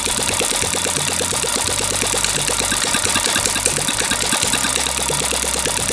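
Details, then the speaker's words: Small single-cylinder gasoline water-pump engine, long unused and hard to start, now running; quick even popping beat, steady firing, no misses or surging; normal idle. "Được rồi bạn ơi, cuối cùng thì động cơ cũng có thể sáng êm và bình thường cũng sáng chậm được rồi bạn ơi,"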